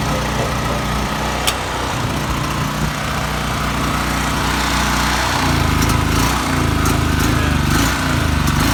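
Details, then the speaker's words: Predator 3200 generator, about six years old, first start in 2–3 years, fuel not drained: pitch hunting up and down from about five seconds, surging and rough; owner suspects something in the carburetor bowl needing cleaning. "fin does have does have something in that carburetor I have to take that bowl off and clean it out right here the bowl"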